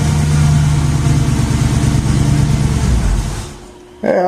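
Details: Jeep on jack stands after exhaust donut gasket replacement: steady, even engine rumble with no ticking or puffing leak at the manifold, runs smooth before dropping away; exhaust leak fixed.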